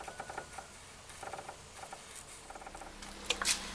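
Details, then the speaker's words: Short squeaky chirps in uneven bursts from a dry, worn ball joint on a classic Lada, rocked by hand after removal; the car squeaked over bumps, and the joint runs metal on metal, so it was oiled. "сейчас разобрал шарова машина приехала со скрипом вот идет с подрывом"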